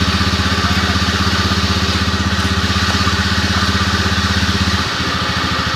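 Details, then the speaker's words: Honda Scoopy scooter idling with a loud droning hum under a fast even beat, about three pulses a second, uncomfortable when riding; mechanic suspects bearings, likely the crankshaft bearing. "suara handlingnya lumayan agak keras ini kalau berkendara ada suara gini kan jadi nggak nyaman ya teman-teman"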